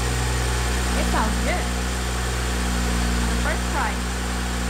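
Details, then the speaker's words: 2012 BMW 135i E82 N55 turbo six, auction rebuild, first start after reconnecting battery; steady even low hum, smooth unwavering idle, no knocks or misses, no check engine light; minor oil pan gasket leak noted; healthy idle. "well it runs yeah no check in tonight's or anything actually runs pretty good sounds healthy"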